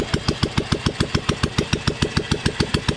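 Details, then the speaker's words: 1997 Royal Enfield Bullet, old CI engine, first start after full engine rebuild, silencer not yet fitted, kick-started: crisp, even single-cylinder thump about three and a half beats a second, no knocks, oil reaching the top; normal idle. "इसकी आवाज़ सुनना भाई, पूरे engine का काम हुआ था इसका। और अब ये फाइनली स्टार्ट हो चुकी है।"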